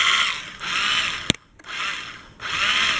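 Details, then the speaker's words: 1980 Suzuki GS450, starter energised by jumping across the solenoid terminals: short bursts of high, free-spinning whir with no cranking beat, so the engine and cams do not turn. Owner is unsure whether the clutch switch, solenoid or starter gear engagement is at fault. "can hear that starter move but it does not move the chain if I did that in a car I'd be able to rotate the cams on car and Pistons be going up and down"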